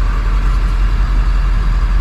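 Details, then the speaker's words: Ford F450 idling with AC on after the vacuum pump was replaced; the HVAC that was stuck on defrost now moves air from the vents with a steady blower rush and no surging, so airflow is normal. "now I'm going to turn on the AC W now we got some air coming from the vent we are not stuck on defrost"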